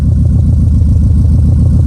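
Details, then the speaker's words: 2004 Subaru Impreza 2.5RS flat-four, stock apart from an SRS 3-inch stainless exhaust with a 4.5-inch tailpipe. Deep, even pitter-patter burble at idle with a soft steady pulse, no ticks or misses. Normal idle. "It is all stock except for an exhaust that you may have already noticed here. SRS larger exhaust. You'll hear it pitter-pattering here."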